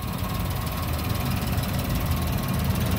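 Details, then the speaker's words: 2020 Daihatsu Sigra M 1.0 manual, 48,439 km, just over 5 years old, engine bay shown at idle. Low, smooth, quiet hum with no ticking or knocking; the engine sounds very smooth and runs evenly. "suaranya masih halus banget. Nih masih besi-besinya pun itu masih bening-bening semua."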